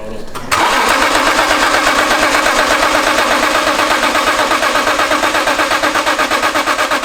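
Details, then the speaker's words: Barn-find BMW E46 M3 after fuel pump replacement and priming: starter cranks in an even chug for six seconds but never fires; crank, no start, suspected stale fuel in lines or injectors. "either it's got stale fuel in the lines of it could still be injectors and [ __ ] as well"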